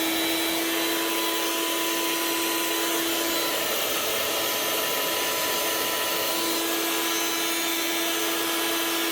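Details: Old Makita 9609B 9-inch angle grinder running free: steady high whine under a coarse, gritty roar, then spinning down; worn bearings, replaced along with the lead and head to quieten it.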